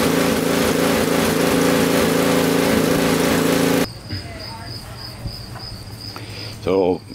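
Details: Honda 520 snowblower with a gummed carburetor, cleaned in place with GumBuster without removing it. This is the first start attempt with the choke out. The engine runs at an even, steady pitch for a few seconds before cutting out, with no surging or stumbling.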